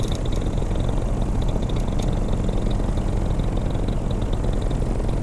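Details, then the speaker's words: Vittorazi Moster 185 paramotor two-stroke with Walbro carburetor, mixture adjusted, starting easier from cold: steady, even drone with no stumbles and a faint high chirp, possibly a slight belt squeak; mixture about right, normal running. "crank it easier now how's a cold start I think I may have the adjustment just about how I like it"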